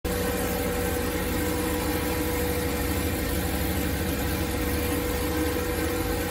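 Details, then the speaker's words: Boosted 408 cu in LS V8 on its third start with new LBI 100 lb/hr EV14 injectors, coolant now circulating at 200°F, oil pressure 33, IAC 21: deep, steady idle with an even exhaust beat, no misses, knocks or surging; normal idle. "okay guys so it looks like it's running pretty good uh the coolant has finally circulated in the engine so that's good"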